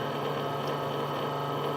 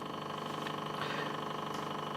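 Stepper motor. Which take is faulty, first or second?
first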